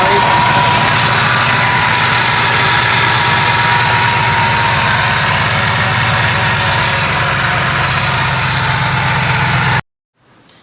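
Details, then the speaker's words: 2005 Ford Explorer 4.6L V8, sat over a year, blown exhaust, customer reports timing chain rattle, at idle: loud fast slapping rattle about three or four a second up front; possibly chain slapping broken guides, or tensioner/idler, unconfirmed. "it sounds like that slapping of the chain that there's broken guides inside of there hitting the front cover here"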